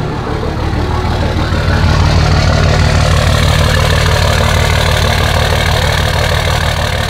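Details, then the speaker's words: Dodge 5.9 24-valve Cummins diesel bought with problems, cold start with no muffler fitted. Loud, uneven, lumpy idle about three beats per second, like one cylinder stumbling; cause unconfirmed. Rough, misfire-like cold idle. "i want to show you guys what's going on now a little cold start you can really hear it"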